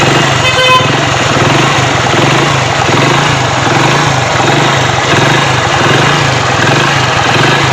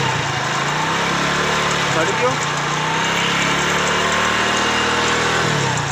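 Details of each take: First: Hero Splendor Pro motorcycle after repairing a broken magneto-side plate: steady, even single-cylinder idle with a regular putter and no knocks, ticks or rattles, sounding healthy. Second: Hero Splendor Pro motorcycle at idle: steady single-cylinder idle with light uneven rattle from the magneto side, caused by a broken magneto-side plate, found on teardown after being ridden despite the noise.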